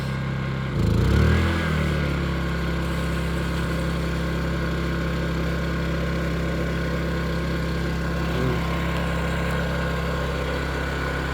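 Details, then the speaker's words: Off-grid rainwater tank pump, newly installed, connection leaks fixed, hose filling a bus: pump kicks on and settles into a smooth constant low hum with no rattles or surging; good water pressure, working well. "Well guys, this is pretty exciting with the water going. I know it's not set up properly at the moment, but it's working well"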